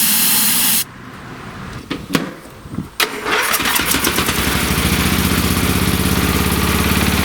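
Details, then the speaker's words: Late-1980s/1990s free lawn tractor small engine: rough cranking with pops, then catches and holds a steady, slightly uneven beat only on choke after carb cleaner sprayed in; carburetor gummed up, smells of turpentine, plugged. "now this carburetor must be gummed up because I can smell turpentine so I'm going to spray card cleaner right in"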